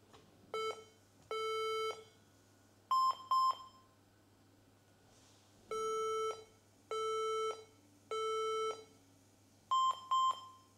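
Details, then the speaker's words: HP EliteBook 840 G3 laptop that won't start, on power-up: repeating three long low beeps then two short higher beeps, a POST code suggesting a memory fault. "donc on voit qu'il fait trois bips longs et deux bips courts donc souvent ça faut pas chercher longtemps faut aller sur internet et faut se renseigner directement sur internet donc c'est ce qu'on va faire ça peut être un problème de de mémoire"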